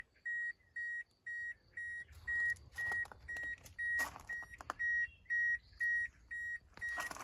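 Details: Toyota Corolla Verso E12: steady high-pitched warning beep repeating about twice a second inside the cabin, with handling noises mixed in.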